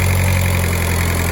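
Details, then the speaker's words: Stock VW TDI daily beater, cold engine after junkyard airbox swap, at raised warm-up idle with a couple of light revs; steady even diesel clatter, no misses or knocks; normal cold idle. "Idle kicks in, help warm her up in the cold. We'll give her a couple of light revs. It is cold, I'm not going to rev the snot out of it."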